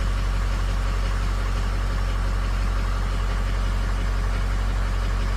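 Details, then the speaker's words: 550 bucket truck diesel at idle, batteries at 12 volts: steady, fairly smooth deep idle at nearly four pulses a second with slight unevenness. Injectors on cylinders three and four are weak, shown with compensation shut off; the others compensate. "it's running fairly smooth hey compensation shut off definitely three and four watching for any other ones to drop"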